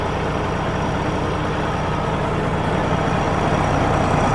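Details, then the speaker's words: Cat diesel in a Kenworth W900 during reassembly, idling at a deep, even, steady rumble with no knocks or misses; the engine sounds good and healthy. "Cat motor sounds good."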